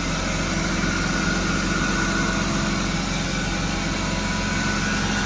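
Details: BMW E36 with the M52B25 straight-six, in a spark-plug misfire repair: smooth, steady idle with an even low hum and no stumble or skipped beats, running cleanly.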